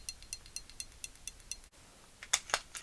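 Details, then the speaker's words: Glock 45 striker-fired pistol with light primer strikes on factory ammo, firing pin channel sprayed with cleaner; shaking the slide gives crisp light metallic clicks, firing pin rattling freely. "if I hold the fountain Block in shake it back and forth I can hear the firing pin rattle pretty good in there"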